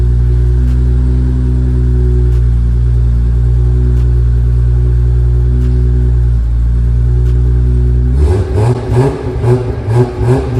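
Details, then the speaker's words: Big-turbo Supra on ECU Master Black Series, drive-by-wire, fuel tables dialed in with air-fuel ratio sensor, first start-up before first drive: steady smooth idle, then quick clean throttle blips, no misfire or stumble; normal revving. "fuel tables are all dialed in now with that air fuel ratio sensor reading running good super responsive with that drive by wire it's like super responsive it feels so good"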